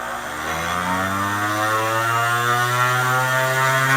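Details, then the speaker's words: Harbor Freight grinder rated to 10,000 RPM, on its lowest setting: smooth, high, steady motor whine climbing as it spools up, far too fast for sharpening and overheats tools. Excessive grinder speed. "Plus, this one goes up to 10,000 RPM, which is way too fast. Even when you put it on low, I'll turn it on real quick, you'll see that it even spins way too fast for sharpening. It'll heat your tool up way too quick."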